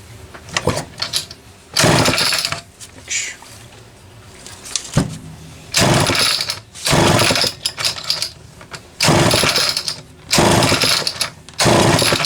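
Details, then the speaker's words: Homelite XL-12 chainsaw whose idle changes as the saw tilts and bogs coming off idle: sharp revving bursts with a ragged, wandering idle between them, hesitating off idle; suspected crank seal air leak, also a leaking fuel cap duckbill. "this one is the one that says the idle would change as the saw was tilted during use, also has a bog when coming off of idle to start cutting."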